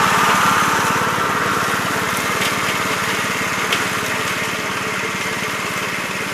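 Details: 1969 Gravely C8 tractor, morning run after no-high-range repair: even, steady single-cylinder firing at a fast regular beat, no knocks or misses. Running smoothly.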